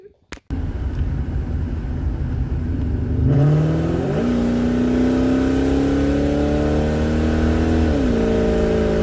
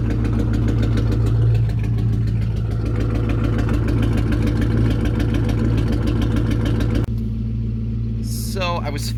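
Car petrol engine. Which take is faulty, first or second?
second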